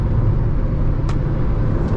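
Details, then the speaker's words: Jeep Renegade T270 cabin at highway speed, about 120-140 km/h: constant deep roar with no rhythm or whine; excessive wind noise, cause and leak point unknown. "Realmente o barulho é muito forte. Eu não sei o porqu d esse barulho. Ó lá, 140. Barulho do vento, gente. Dá para É, é notável."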